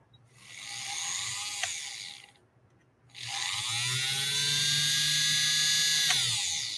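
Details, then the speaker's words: Vintage three-quarter-size Singer 128 sewing machine motor run briefly after rewiring: high whirring spin-up, cut-off, then a steady even pitch. The motor operates properly. "not sure if you can hear it but it is roaring to life"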